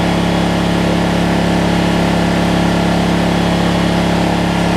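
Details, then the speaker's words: Generac 7500EXL generator that had been shutting off after 3-5 seconds, traced to a bad low-oil switch that was unplugged: it now runs with a steady drone pitched slightly fast, and the throttle is backed down to about 120. "She's running a little fast. Going down to about 120."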